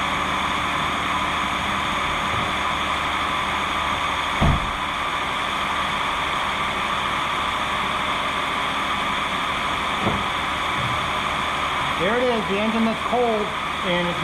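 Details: 2020 Jeep Gladiator Rubicon, 6-speed manual, 62k miles, cold engine idling: steady even hum with no ticking or tapping above it; healthy idle.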